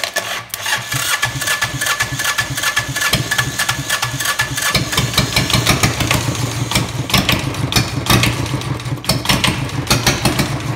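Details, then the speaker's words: Diesel engine in a bike build, strapped down to test the CVT, cranks a long time without glow plugs, then chugs into a slow, lumpy idle that barely keeps running; the idle speed is set too low. "the I set a little low oh maybe I'll crank that up a little bit I got a little screw here I can turn in let's try that again"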